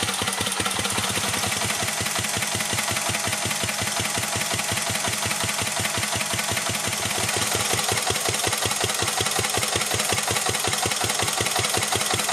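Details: 1949 Petter A1 air-cooled single-cylinder stationary engine driving a homemade generator, warm; steady even beat with crisp regular exhaust pulses, no misses or knocks, running healthy under load.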